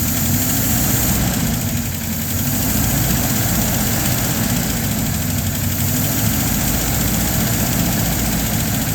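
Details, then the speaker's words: LaSalle with mechanical non-adjustable lifters, checked for fuel starvation with the fuel pump bowl full and the choke closed about halfway: a steady, even idle that picks up smoothly under throttle with no stumble or bog, with slight lifter noise. "So there it is idling. Give it some gas."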